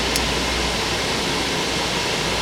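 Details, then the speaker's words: Dodge Caravan after rear AC evaporator repair and recharge, cold engine; rear blower on with AC, steady even rush of air, no rattles, ticking or squeal, vents at 47–48°F; normal blower airflow. "Alright, so we got the fan blowing. You can hear it blowing in there. Got the air on, and it is blowing about 48, 47 degrees. That's nice."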